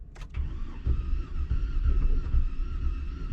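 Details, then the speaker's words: Cranking a GMC Denali with a reported bad engine and a "reduced engine power" warning: the starter spins the engine evenly but the turnover is light and soft with little chuffing, suggesting little to no compression. "Okay, so the starter is engaging. I don't know if you guys could hear that or not, but when I turn that, I can hear the engine spinning, and it sounds like there's little to no compression."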